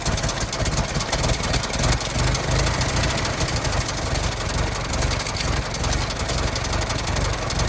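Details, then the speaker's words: 1916 Federal Motors truck small four-cylinder, first run after 50-60 years, bottle-fed fuel, block not yet warm, no coolant as radiator leaks: slow, slightly uneven idle with steady firing pulses, no knock or clatter; normal idle. "oh she's a runner she runs pretty good"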